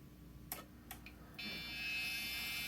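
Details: Old PC being tested with vintage IDE hard drives, one jumpered as slave, BIOS settings suspected of blocking boot: two sharp clicks, then one steady high beep of about a second at power-on. POST error, cause unconfirmed.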